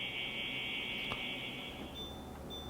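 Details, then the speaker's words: Worn, noisy fan motor in a Winix air purifier (C535/C545/5300 family) before motor replacement: steady high-pitched whine at constant speed, then drops away; after the new motor, only airflow noise remains. "This is what the motor sounds like before the fix."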